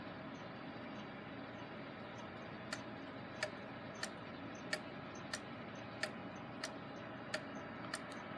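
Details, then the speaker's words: Gilbert long-drop octagon clock after rebuild, rehung on wall: clear ticks about every two-thirds second, uneven beat lingering on exit pallet; out of beat. "sounds like it's lingering a little longer on the exit palette than the entry palette so we might give it a little bit of adjustment here"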